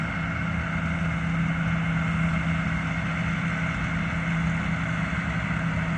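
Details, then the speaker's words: Combine harvester on a soybean-field test run after it had trouble the day before: steady, even low diesel rumble with no knocks, misses or surging. Engine sounds normal. "Sounds normal. What? It sounds normal."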